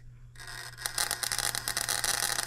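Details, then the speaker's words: Model engine built 1988, not known when last run, crankshaft straightened to about .0015 runout: a faint hum, then a steady fast crackling buzz of sparks. The buzz coil is firing strongly, just before top dead centre. "it's a buzz box and go firing just before top dead so yeah we got a buzz coil underneath here"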